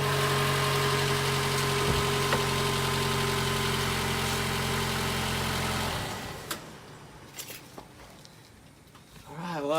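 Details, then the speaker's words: 2014 Toyota Camry, 2.5 L four-cylinder, after new NGK spark plugs: an even, smooth idle hum with a regular beat and no misfires, then the engine shuts off. Running clean on all four. "any misfires sounds pretty good right now so I think it's gonna be good to go"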